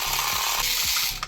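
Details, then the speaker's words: 1980s Tomy Turnin' Turbo toy dashboard after repair: a small motor whirring high with a regular plastic ratchet click, running smoothly; the road and fuel panel move, so the gear mechanism is working properly. "Lovely, right, so that's all looking to be working."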